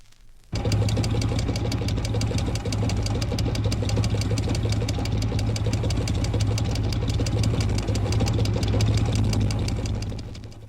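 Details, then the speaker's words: 1964 diagnostic recording of an electric fuel pump: rapid ticking about four per second over engine hum as the pump feeds a leak between pump and carburetor; normal clicking is slow and gets even faster when running out of petrol. "But if the pump has to supply the needs of the carburetor and the leak, the clicking will be quite rapid. The noise will also be heard at an even faster rate when you're running out of petrol."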